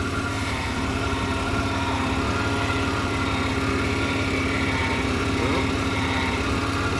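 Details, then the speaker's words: 1994 GMC 1500 after power steering hose replacement and fluid top-up: engine idles evenly with a faint steady pump hum as the wheel turns, no groan or whine; power steering working normally. "sounds like it's okay let me turn it off and check the uh the reservoir"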